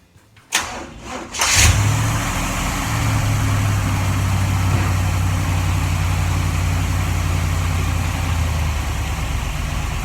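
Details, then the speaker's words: 1947 Ford Tudor street rod with Holley carb: after adjusting the carb base screws, the engine cranks, catches and settles into a steady, fairly fast idle with an even low rumble; the former Holley whistle is gone, idle sits high. "well it doesn't whistle anymore that was the main thing"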